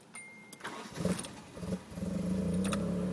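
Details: After plugging the intake tube back in on an engine that would only start with throttle held, brief starter crank then it catches at once and settles into a steady, even idle with no stumbling; normal start.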